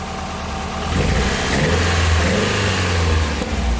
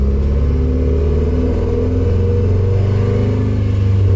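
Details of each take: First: Nissan 240SX S13 with straight-pipe exhaust, still smoking and timing not yet set, after earlier breaking up and popping: loud raspy exhaust climbs smoothly through a rev and settles, even pulses, no misfire; healthy rev. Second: Nissan 240SX S13 driving around the block on its first drive: engine stumbles and breaks up under load with uneven low popping instead of a smooth pull; misfire from timing drifting with a loose distributor.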